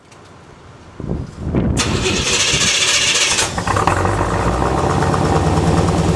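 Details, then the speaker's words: 1986 Corvette L98 TPI 5.7L V8 started after cleaning clogged plenum EGR port (for EGR and knock sensor codes, failed emissions): brief cranking, catches at once, even steady idle, no misses or knocks, healthy. "okay she's running we got her back together like it's close to be so far well it's running"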